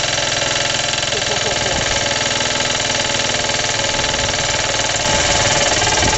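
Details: Suffolk small single-cylinder engine, first start after rebuild, cold and choked, rope-started with the starter bolt missing, idle turned up: runs fast with a loud, fairly regular knock about four times a second. New since the rebuild, compression good, clutch or shrouding suspected.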